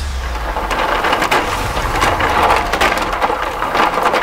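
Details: Bunn Ultra-2 slush machine after replacing a faulty cooling solenoid, set to ice: irregular crunching and cracking over a steady motor hum as the auger churns ice; freezing properly again.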